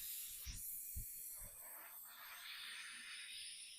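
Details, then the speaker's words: John Deere lawn tractor tire off the machine, inflated with the reamer just pulled from the puncture during plugging: faint, steady high hiss of air escaping under a few soft thumps; tire puncture air leak. "You hear that leaking? Hear that?"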